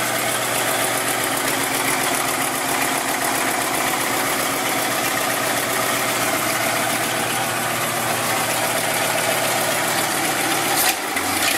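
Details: Basket-case GMC V8 run after the plug-wire spark fault was fixed and the correct carburetor gasket was fitted: an even idle with a steady, unbroken exhaust beat and no stumbles, warming up with the block steaming and the manifolds warm. Normal idle.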